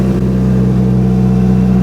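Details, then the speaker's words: Big-turbo Mitsubishi Evo 9 on stock ECU with base injector tune, first drive in 3 months: smooth, even engine note with steady low drone, earlier ticking gone; normal running. "I don't hear no more of that ticking. Amazing."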